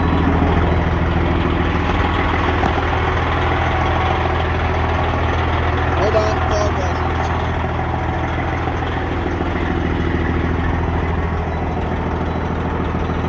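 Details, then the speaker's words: Freightliner Cascadia with a straight-piped Detroit 60 Series diesel, in neutral, warmed up a little after a cold start: loud, deep, evenly pulsing exhaust throb at steady idle, no knocks or misses; healthy warm idle. "The truck has warmed up a little bit."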